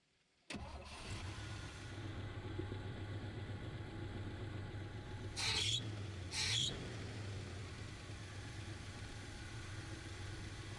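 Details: 1970 GMC 1-ton flatbed dump truck that had fuel but no spark, after readjusting points that were gapped too wide; catches quickly and settles into an even, low idle with a couple of short throttle blips; ignition firing properly now.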